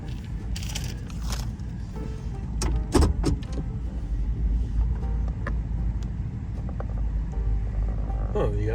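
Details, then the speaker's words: Van pulling away from the shop after repair: steady low engine rumble, no knocks, rattles or grinding, only cabin clatter; the loud engine noise was reportedly exhaust-related and is now gone. "okay just coming out of the shop all right so the the regular noise is gone"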